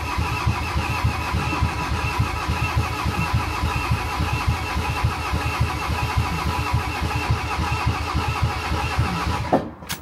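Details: Van diesel being cranked with easy-start spray after priming, with air now bubbling from the injectors: steady, even starter cranking for about ten seconds with regular compression pulses, but it never fires; crank no start, cause unconfirmed.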